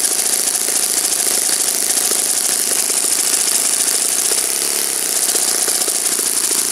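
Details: Saito FA-56 four-stroke glow engine, first run after teardown, cleaning and bearing replacement, 12x6 prop, OS F plug, Omega 5% fuel, tuning run: high-pitched steady buzz, no misses, surging or sag; normal running.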